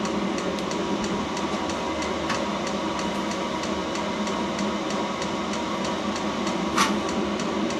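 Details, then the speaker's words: New self-contained Chinese diesel heater, first firing while bleeding fuel; steady fan roar with quick even fuel pump ticking, no sputtering, starting to put out heat; burning normally. "And this is the first time this has been fired up, so it's actually going through a bleeding process as well. Starting to put heat out now."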